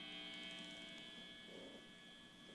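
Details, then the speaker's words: Fender Strat with single-coil pickups, volume fully up, no noise gate: steady buzzing hum with thin high edge, easing as guitar is turned away; electromagnetic interference picked up by pickups. "how it kind of goes away that's emi the easy way of telling if you have emi coming through on your rig is if you turn down your guitar if it goes away you know that it's with your pickups"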